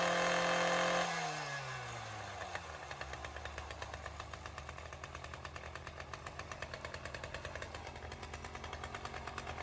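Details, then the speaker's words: Ryobi CS30 two-stroke string trimmer, cold start on new HiPA aftermarket carburetor, untouched since tuning, primer not yet used: fires up and settles into a steady, even idle about three and a half beats a second, no stumbling. Normal. "We're gonna see how this carb does on a cold start and show it kind of being used around here. So let's see how that tune held up."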